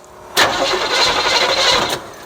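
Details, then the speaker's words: 1972 Chevrolet Chevelle, sat 5 years, fuel dripping from a cracked nut that may suck air: about 1.5 seconds of starter cranking with no catch, and no fuel reached the carburetor yet before priming. "it may help to try to prime it a little well that's not thinking i was going to try that trying to see if we got anything to the carburetor yet"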